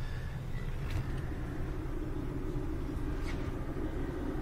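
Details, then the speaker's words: VW A3 Mark III Golf with rear drum brakes, driving: steady low droning hum over road rumble from a worn rear wheel bearing. "A3 Mark III Golf, rear wheel bearing noise, drum brakes."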